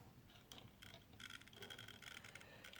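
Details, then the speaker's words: Dongmingtau drone propeller gearmotor turned by hand: faint, irregular crinkly ticking bursts, stiff and hard-geared versus the other free-spinning motors; stiff gearmotor crinkling noise, cause unclear. "It's not as free as this motor should be. You can hear the different sounds here compared to this guy. It's a weird sound coming off of that, like some kind of a crinkling sound."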